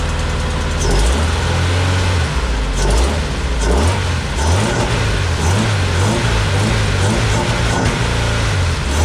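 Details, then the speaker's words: Homemade race car with a 20-year-old replacement engine, not starting after fuel pump replacement: catches on sprayed starting fluid and surges up and down unevenly; owner suspects not enough fuel; small leak at new pump. "okay so a good way to check if there's enough fuel is put in a little bit of a starter floor"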